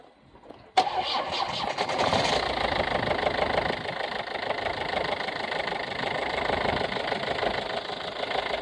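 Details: 2015 Ford C-Max TDCi diesel cranking, starting and settling to idle with busy, fast tapping or knocking through the clatter; cause unknown.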